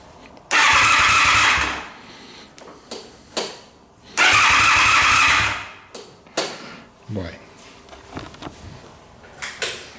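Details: Motorcycle whose starter clicked without cranking, after starter repair: two short bursts of cranking catch and run, then clicks and handling noise; the starter turns the engine over and it fires normally.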